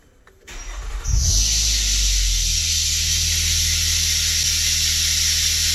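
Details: 2010 Nissan Maxima that died while driving, after repairing damaged alternator wiring/connector: short crank, catches at once and settles into a steady, even idle with no stumble or misfire, charging 14.4 V; normal start and idle.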